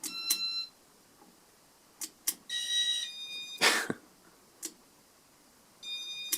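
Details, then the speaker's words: Casablanca Panama 5 Inteli-Touch ceiling fan from about 1984, with original RMM1 control, bearings replaced and internals cleaned. At power-on it cycles through speeds with short high beeps spaced irregularly over a quiet room. The control works normally. "I was I mean I guess there was no reason it wouldn't start on speed one when I first turned on, but it sounded like the speed two beep for me for some reason. So, that's why I restarted the cycle."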